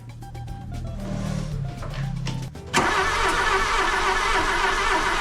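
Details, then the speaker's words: Golf II carburetted petrol engine after a full carburettor rebuild, with a little petrol added for the first start attempt: starter churns about four turns a second for under three seconds, then it catches and roars up cleanly; normal cranking and start. "donc là on allume je mets un petit peu d'essence et on l'allume let's go"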